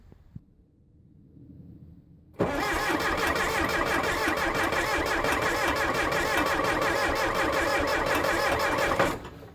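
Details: 1975 Case 680CK backhoe diesel, first start after long sitting, glow plugs working, brand-new charged batteries: starter drags engine over sluggishly, about three compression beats a second; owner suspects batteries, cause unconfirmed.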